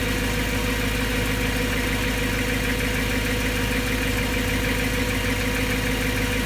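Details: BMW M3 with the S65 V8 after new bearings: a steady idle with a light, quick tick of about two per second over the engine hum. The owner still finds it abnormal; source not pinned down.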